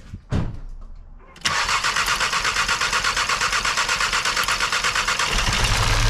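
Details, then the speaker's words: Seat Cupra 2.0 TSI (CJX) engine rebuilt with forged internals, first start: cranked with coils unplugged to build oil pressure, then coils reconnected. A short crank, then an even, slightly busy idle with no knocks, left to warm up. Clean, normal start and idle. "ça tourne ça tourne c'est déjà pas malin on va laisser de monter un petit peu en temp que la pression d'huile elle arrive en haut"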